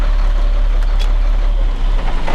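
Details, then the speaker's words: Caterpillar C7 diesel after reinstalling two bad injectors: deep, steady, even rumble with no misses or knocks, running well; check engine light flashing from low coolant level and a coolant temperature sensor still needed. "but other than that there it's uh running pretty good so that there everything's running really really good so shouldn't have no problems with it now"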